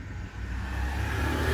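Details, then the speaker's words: 2015 Kia Optima after cylinder 2 misfire repair (ignition coil and spark plug replaced), light throttle blip: short, clean rise in engine speed, no stutter or popping; revs smoothly without misfire, check engine light off; normal rev. "Accelerator दें थोड़ा, एक्सीलेट करें गाड़ी को। ठीक है, बस ज़्यादा नहीं दो। ठीक है जी, ये सेट हो गया।"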